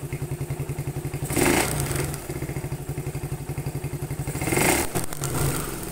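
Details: Suzuki Satria FU carburetor motorcycle, large-bore with PE28 carb, stainless header and loud Thai-style exhaust: fast even ticking over the exhaust beat, quickening with blips; suspected loose valve clearance, not confirmed.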